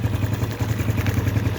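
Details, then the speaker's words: Honda Biz 110i at idle after about 3 minutes of running with the adjusting screw loosened, once the engine noise (induced by removing a spring) had stopped: quick, even single-cylinder putter with no tapping or clatter; quiet and healthy. "Bom, retornei agora, deixei por cerca mais ou menos de 3 minutos. Às vezes pode demorar mais um pouquinho, mas o barulho agora acabou."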